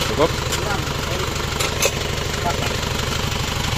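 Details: Isuzu Panther double-cabin diesel after engine work with new main bearings; a leaking injector nozzle copper ring that caused a hissing "ces ces" has been replaced. Steady, rhythmic idle with even pulses and no hiss or knock: smooth normal idle.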